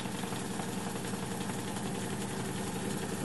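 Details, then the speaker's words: Fidelity Argyll Major 4-track mono reel-to-reel tape recorder, made in England around 1959-1960, on fast forward, which works although rewind does not; steady even reel whir with no catching or slowing; normal fast forward. "i'll show you what happens when we go fast forward there you are that's working fine"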